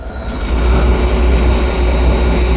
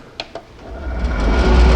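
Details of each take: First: Three-phase motor run from a VFD at a 16 kHz carrier frequency (factory setting; drive goes up to 32 kHz): thin steady high-pitched carrier whine over motor hum. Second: Three-phase motor on a VFD with the PWM carrier frequency raised to 32 kHz. After two clicks it ramps to a smooth, even hum with no high-pitched carrier whine, running silent.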